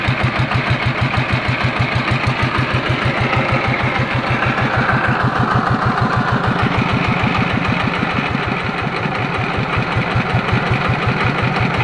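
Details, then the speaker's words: Yanmar TF115 single-cylinder diesel with starting difficulty, after reassembly with valve cover refitted but inner bearings not yet replaced: steady even thumping about three beats a second, no knocks or misses; idles normally with good compression. "เดินเบาได้ปกติครับมีแรงดันขึ้นดีครับ"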